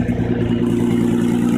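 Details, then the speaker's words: 2004 Nissan Murano, on hoist, idling, heard under car: steady loud raspy drone with buzzing puff from cracked header flex pipe on exhaust downpipe; exhaust leak, fixed by cutting out and welding in new flex pipe. "exhaust noise is coming from here you can actually feel it that's the flex pipe for the header and it's cracked"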